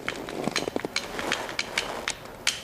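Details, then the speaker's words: 1990–2002 Mazda Miata convertible top latch after Posi Latch Fix screw install: light metallic clicks and clacks, a rattle until the clasp cushion is fitted. "Oh, you can hear it. There's a rattle to it now. Little rattle there."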